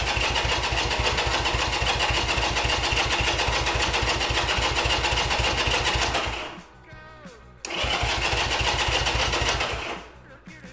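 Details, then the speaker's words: 1975 Honda CB200T cranked with the ignition off and no fuel, to circulate oil: even starter chugging at about 220 beats a minute with strong, regular compression pulses heard at the exhaust, a pause, then more cranking. Healthy compression. "Okay, that sounds pretty good. I do hear a lot of compression uh on the exhaust, so I think that that's that's a good sign."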